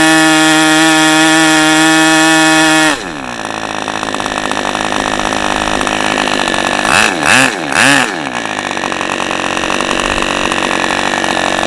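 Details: OS 40 FP glow engine, first run on a stand, 11x5 prop, OS #8 plug, 5% castor/synthetic fuel, after the idle screw was adjusted and the air bleed opened to lean it; drops from high scream to slow uneven burbling idle with two blips; still slightly rich.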